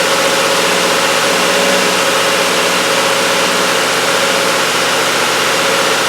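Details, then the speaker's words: 2017 Subaru Outback, 59K miles, cold start after sitting overnight: fast uneven metallic clatter for about five seconds from chain tensioners until oil pressure refills the drained-back oil filter, before the anti-drainback filter fix. "As you could see and hear, it took a good 5 or so seconds for that oil filter to fill up, and then the clatter from all the chain tensioners and things like that just stopped."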